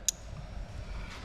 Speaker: and again you can hear all the relays kicking in